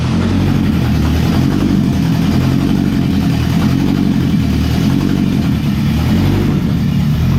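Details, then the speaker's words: Honda Civic EG hatch with K-series (K20/K24) swap on open header, first start: loud, raspy, steady running with brief throttle blips, firing even and clean, no knocks or misses; healthy, blew a fireball. "The EG does run. Sounds like it sounds really good. We have it all open header."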